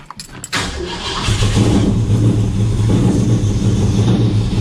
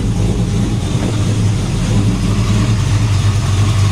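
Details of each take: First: XW Ford with Cleveland V8, just after new fuel sender and half-inch fuel line fitted and tank filled, started to test for leaks: brief crank then uneven, lumpy idle with wandering beat, running rough; cause not confirmed. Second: XW Ford after new fuel sender and half-inch fuel line, moments after a rough start: deep even V8 rumble with steady beat and no stumbles or misses, now running smoothly.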